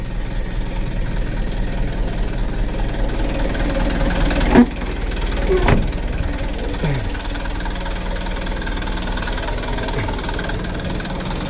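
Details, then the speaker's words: 2021 Mitsubishi Canter 136 PS HDL diesel, 78,000 km, rough unstable idle: low irregular knocking about one lurch a second, revs sagging and hunting; idle had to be lowered to around 550 rpm. "u mau turun itu jeglek dulu teman-teman, ada jeglek dulu baru antang begitu, baru turun."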